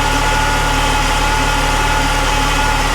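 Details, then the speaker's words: Saab 9-3 Turbo petrol engine after Liqui Moly engine flush for low oil pressure and tapping: steady, even idle, no tapping or rattle, faint thin whine from low power steering fluid; normal idle. "sounds good."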